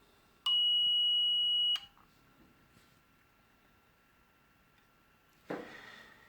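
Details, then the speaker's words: LadderLearn PLC analogue input from a 10k pot module, output on a continuity tester: one clean high beep about a second long as the output contact closes below 5 volts, then quiet and a click; switching normal. "If I just connect this to a continuity tester, which I have here, as I vary this, and you see it gets below 5 volts, it clicks"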